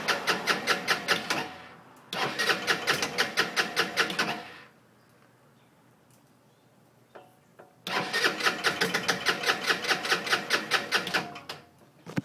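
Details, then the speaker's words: Scooter after an oil change (80W-90 gear oil, 10W-40 engine oil) and removal of an air filter mod: two long bursts of fast even starter cranking, about seven beats a second, with no firing; cranks but won't start, cause unknown. "you can see it just won't quite turn over I don't know why anybody has any suggestions just leave them below um and it'll be greatly appreciated thanks"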